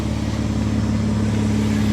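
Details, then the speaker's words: Mitsubishi Diamante at 230K miles idling after tune-up: steady, quiet even idle with no knocks or misses, good cooling-system pressure, runs great; remaining light smoke from a slightly leaking radiator cap. "you can hear it's running nice and quiet real good pressure on the cooling system now i mean she runs great"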